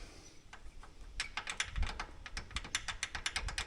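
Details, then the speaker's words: Polaris Ranger 570 SP Premium rear, in neutral: quick irregular light ticking and rattling, about five clicks a second, from loose rear brake pads shifting in the caliper with about a half-inch gap; fix is springs to push the pads away from the rotor. "this is the sound that we were picking up so what I'm going to do I measured this gaps about a half inch I'm going to put a spring in here on each one of these on each side which will force these brake pads out away from the rotor"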